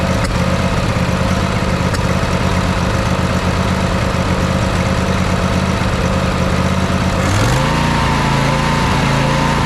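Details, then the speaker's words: Craftsman riding mower with a Briggs & Stratton V-twin, after replacing the carburetor: a loud idle with irregular pops, then speed swings up and hunts unevenly; still surging, popping and crackling. Spark plug is next, and air leaks were sprayed for. "it sounds like we're still getting a little bit of surging from the thing uh still getting a little bit of popping and crackling"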